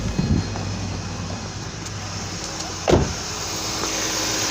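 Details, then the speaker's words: Ford Transit Connect after an engine replacement, at operating temperature, running a factory OEM-enhanced scan tool self-test: a steady, even hum held at raised idle with no knocks or misses, the engine idled up simulating driving while the computer checks its systems. "Like I said, if you notice, our engine is idled up right now. It's simulating driving is what it's doing, and it's running it through all of its systems."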